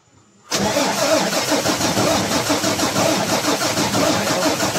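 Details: 6M70 diesel with a hard-starting injector problem, after injector work: it catches after about half a second and settles into a steady, even diesel clatter with no misses or stumbling.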